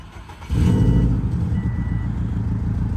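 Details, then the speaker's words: Subaru WRX with 208,000 miles, engine with about 70,000 miles, MAF check-engine light, leaking power steering line: catches cleanly, settles into deep steady boxer rumble with slight turbo sound, no knocking; healthy. "it definitely has a Subaru rumble. If you can hear the turbo a little bit."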